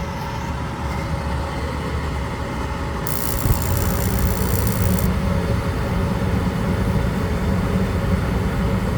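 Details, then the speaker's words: Goodman gas package unit with a gas valve cut-out issue; something was removed from the flue exit, which seems to have solved it for now, still being monitored. Steady low burner and blower roar with no dropouts or surging; running normally. "At the moment, we removed this from the flue exit and seems to have solved the issue for right now, but we're going to keep running and checking and see what's going on."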